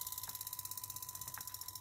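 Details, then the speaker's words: Small DC motor slowed by a dual-mode PWM module at 15% duty cycle: a thin steady high whine with a fast pulsing buzz, with the buzz produced by the PWM module; changing frequency was tried to reduce it. "ciclo de trabajo 15% luego probé la frecuencia, intenté bajar el sonido, el zumbido que se produce es este módulo,"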